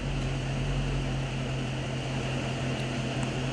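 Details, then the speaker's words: 6.4 being checked for overheating: a steady, even whooshing drone with a low constant hum under it, the radiator cooling fan running normally. "Yeah, I hear the fan running right now, but yeah, just straddle right here."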